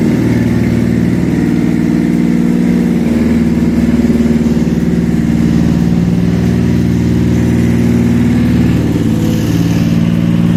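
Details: Toyota 1MZ V6 contract engine, first start on a test stand after compression check: smooth steady hum, running evenly with small throttle swells, no knocks or ticks standing out.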